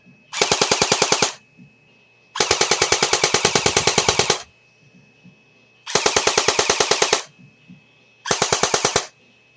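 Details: JG Mac 10 airsoft AEG on the stock JG NiMH battery: short bursts of rapid, evenly spaced crisp clicks, a dozen or more per second; gearbox cycles fast, much faster than on the Tokyo Marui battery, normal rate of fire.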